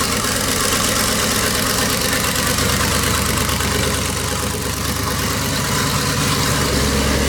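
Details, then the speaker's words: Rat rod small-block Chevy 350 just after turbo cam swap, broken in: loud, steady V8 idle with slightly choppy cam lope, no knocks or ticks on top; runs clean and even. "so a lot better we finished the rat rod up with a cam swap last night and we got it all broken i'm going to do one more little start up and just kind of show you guys what it sounds like"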